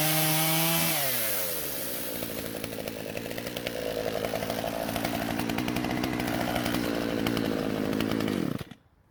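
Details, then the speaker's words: Husqvarna chainsaw, originally wouldn't start, after carburetor adjustment (L and H screws turned out slightly for more fuel so it won't stall): drops from high rev into a strong even buzz while cutting, no stumbling; runs healthy. "in the end i turned both screws out just a little bit so the carburetor would deliver more fuel to the engine and not stall out"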